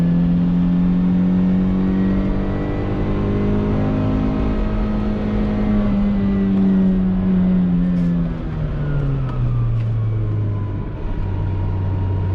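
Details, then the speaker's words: $2,500 road-trip car on a paved mountain road in second gear uphill: steady engine drone then the note sags and drops away near eight seconds as drive lets go; driver suspects the clutch blew up. "Uh-oh. Uh-oh. Is that a clutch? That might be a clutch. Uh-oh. That's not good. Get on the radio. I think the clutch just blew up."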